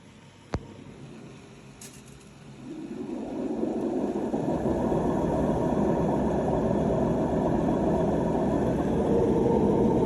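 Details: AEG washing machine drum spinning up with a loud, coarse, engine-like rumble from bad, worn drum bearings.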